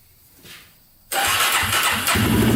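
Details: $800 Polaris Predator 500 quad, single cylinder, after timing fixes and a snapped Woodruff flywheel key: brief quiet, then it catches and runs steady and fast with no knock after an earlier start with a huge knock; pipe burning off residue.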